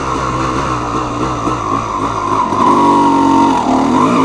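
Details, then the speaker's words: Dirt bike on first ride in 6 months, testing newly fitted Chinese carburetor: engine note climbs cleanly on throttle with no stumble or bogging; rider feels it responds better and pulls harder than before. "Je sens qu'elle répond mieux, elle est plus violente en plus."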